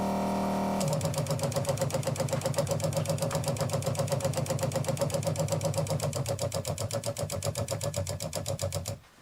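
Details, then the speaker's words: USA Adventure Gear ProGear 5300 RV water pump, newly installed to replace old ShurFlo: fast even pulsing about four beats per second with buzzy hum, stops cleanly; runs regular but louder than the previous pump. "So far I'm finding it a bit louder than the pump that was in there before."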